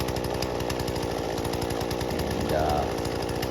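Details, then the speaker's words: Husqvarna 120 Mark II chainsaw after carburetor tuning, with the idle screw backed off until the chain stops: a steady, even low two-stroke idle with crisp regular firing and no chain whir; idle is set correctly. "that's where you kind of want to have the idle screw set after you have adjusted your carburetor"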